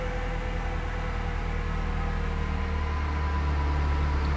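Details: Fiat Strada 1.8 E.torQ with earlier lack of power, lit injection light and fault P0340, after camshaft phase sensor replacement. First start is a smooth, steady low rumble with no misses, stumbles or ticks, and the idle holds even; no position-sensor fault.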